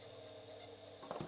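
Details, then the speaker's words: Commodore 1541 disk drive, bought as not working for parts, at power-on: drive light stays on and the motor whirs continuously, just spinning away; suspected ROM or logic fault, what looked like burn marks seen in case top; drive motor runs continuously. "just spinning away. So this usually points to an issue with either the ROMs, or some kind of logic fault"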